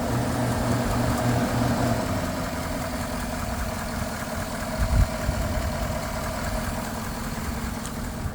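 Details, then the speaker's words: 2011 Chevrolet Silverado V8, 225,942 miles, auction reported possible engine tick, exhaust noise and intermittent oil pressure sensor code: smooth, even idle with only soft belt and pulley noise, no ticking heard; sounds normal. "I don't really hear anything other than, you know, the pulleys moving like they're supposed to and all of that."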